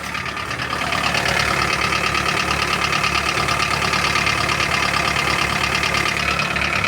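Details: Toyota Carina 1.8 with a worn-out engine: sharp metallic knocking, about four per second and fairly even, over a steady idle; internal engine knock, cause not yet confirmed.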